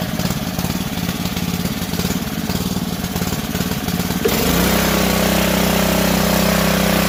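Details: Ryobi GCV190 pressure washer engine, stored a year and wouldn't start, after cleaning the clogged carburetor, choke on: uneven pulling-over chugs for four seconds, then catches and holds a steady, even run; starts and runs fine.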